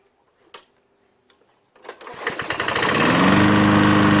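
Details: Lawn-Boy Insight 10682 21" Sens-A-Speed mower, Tecumseh 6.5 engine, after a clean-out, run briefly with very little oil: a couple of pulls, then it catches and settles into a steady, even running note within a second; normal idle.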